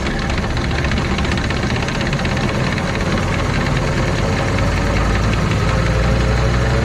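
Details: 2006 Arctic Cat Prowler XT 650 H1 after output shaft bearing replacement inside the engine, about 20 minutes of driving: rough gritty growl with uneven rasping edge under engine drone, grinding returned; cause of bearing failure not yet found.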